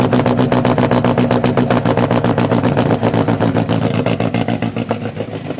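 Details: 1990 Nissan 240SX with KA24E petrol engine held at about 2,000 rpm fast idle; lumpy uneven stumbling pulse about four times a second, constant misfire.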